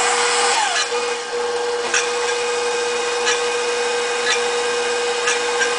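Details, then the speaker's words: KitchenAid Professional 550 Plus stand mixer with whisk, bowl raised to correct height: steady motor hum with faint rasping scrapes about every second and a half as the whisk lightly grazes the bowl side, as it should. "a little bit of that rasping on the side of the whisk, which means that, you know, obviously the whisk is touching the side a little bit better."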